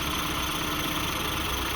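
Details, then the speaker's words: Nissan D21 Hardbody idles with a steady low drone after AC pulley replacement, no belt squeal or chirp; previously had a nasty belt/pulley squeal at startup. "So we just got done testing out the hard body, making sure our pulley don't squeal, and it sounds good, man."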